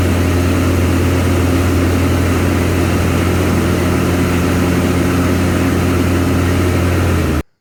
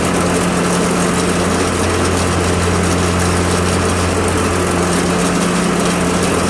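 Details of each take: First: Craftsman Z530 zero-turn after deck repair (deck locked in place), blades engaged: steady even drone and low hum, no grinding, rattle or squeal; deck healthy. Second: Craftsman Z530 zero-turn, blades engaged before repair: steady engine drone with a coarse rattling roar from the deck, which vibrates badly with the idler arm jumping; possible bad belt, idler pulley or spindle bearings, or bent blade.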